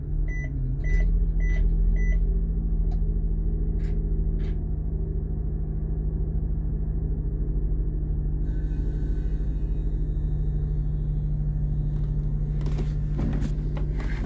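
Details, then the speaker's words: 2008 Blue Bird All American RE CNG school bus, key on with gauges alive, then start. A few dash beeps, then the engine catches into a deep, steady rumble with no misses; clean start and normal idle. "Now that the gauges are alive, start up the bus."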